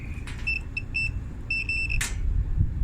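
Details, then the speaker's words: Washing machine with its lid switch bypassed: short, high-pitched beeps in uneven bursts over a low hum continue even with the lid open; the lid switch is judged to have failed. "yeah that switch is bypassed because i opened it up it's still beeping so the lid failed this switch failed on this"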